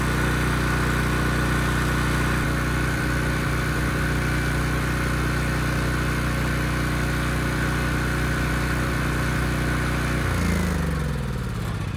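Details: Ridgid generator with Yamaha MZ360 engine, about 10 years old, idle 4 years, after rusted tank and carburetor repair. It holds a steady, even drone under a 3,000 W load at 60 Hz with no hunting or misses, then winds down smoothly at shutdown.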